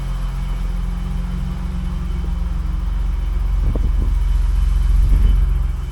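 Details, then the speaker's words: 1985 BMW 635 CSI with intermittent no-start/running problem, first start after adding ground wires: deep, even idle in neutral with slight swell partway; sounds pretty good, ground wires seem to have helped. "Sounds pretty good. I think all those ground wire things helped it out everywhere."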